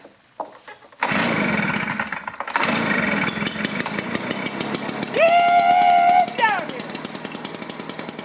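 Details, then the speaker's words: Two-cycle blower that was hard to start with weak or no spark, after a cleanup, choke on: catches after a few rough pulls, then runs crisp and steady, revs cleanly and drops back evenly; normal running. "choke on power on oh that sounded strong right"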